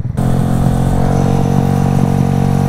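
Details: 2017 Kawasaki Z125 Pro single-cylinder engine at a steady fast idle after wheelie riding, faint regular tick riding over it; rider says it doesn't sound good, calls it an underspring knocking; abnormal engine noise, cause unconfirmed.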